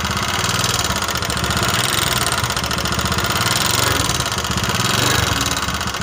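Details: Honda Megapro New 150cc, smoking, weak, thirsty and leaking, before teardown: rough, uneven idle with harsh clattering rattle over the engine beat, said to worsen as it gets hot; worn piston, cylinder and valve guides.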